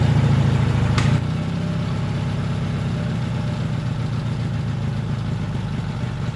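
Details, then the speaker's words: Taurus 650, in the shop: fast busy idle, dips once then holds too high, way too high so it takes off; throttle not snapping back, missing return spring; idle linkage later fixed. "I got to figure out how to adjust the Idol on this thing before I kill myself it's too silent like way too high and it takes off on me"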